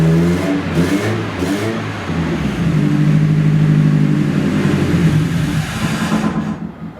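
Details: Nissan 240SX, first start in two years after a rebuild onto a new chassis; the engine catches and revs cleanly, then the idle starts surging and hunting in an uneven lope. Rough loping idle, cause not yet identified.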